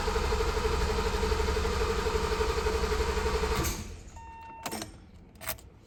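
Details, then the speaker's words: 1985 BMW 635CSi (E24, M30 engine) cranked 5–10 seconds with the fuel pump fuse pulled to bleed fuel pressure before replacing the leaking fuel pressure regulator o-ring: steady rhythmic cranking, no pump whir, normal. "So now that I've got my fuel pump fuse pulled, I'm just going to crank the engine for 5 to 10 seconds. It'll either not start or it'll start but die right away. Both of those are fine. As expected, I don't hear the fuel pump running."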